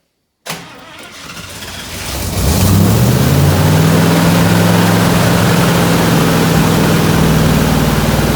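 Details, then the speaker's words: 1967 IH Loadstar 1600 truck after replacing burnt carburetor gasket causing vacuum leak and hard idling: short crank, engine catches and climbs to steady, even idle without stumbling or hunting; engine start and idle. "All right, Kenny's going to crank her over. We're going to see if we get life out of her. Crank it up."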